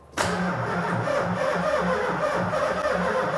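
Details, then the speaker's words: Supercharged VH45 V8 in an S13, first start attempt: starter drags the engine over in a slow, labored, even beat without firing; battery voltage too low, jump pack to be added to build oil pressure. "cranks bugger all voltage though cranks that's a nice start chuck the jump pack on it"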